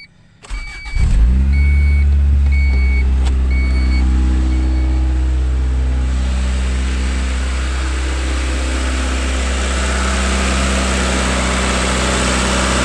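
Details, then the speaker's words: 1992 Honda Accord first start after timing belt, water pump and accessory belt job: starts with chimes, flares high, then idle hunts up and down instead of settling; owner suspects idle air control valve, a different issue from before. "yeah it does that is a different issue than what was happening before"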